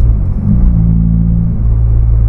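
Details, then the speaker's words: Nissan Sentra B14 on highway road test after the earlier grinding noise (A/C compressor bearing suspected) was fixed: smooth, deep rumble, no grinding or whirring from the belt side; quiet and healthy. "Wala na siyang ingay. Yung ingay na narinig nyo nung kahapon sa vlog ko na parang may ginigiling, eh wala na, tahimik na siya mga kabiyahe."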